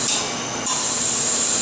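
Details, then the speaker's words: MBraun Labmaster 130 glovebox, larger antechamber refilled via the key-press control after evacuation: steady sharp gas hiss that jumps louder partway then holds even, stopped before full; normal antechamber refill. "You can hear it filling up. I'm not going to let it go completely."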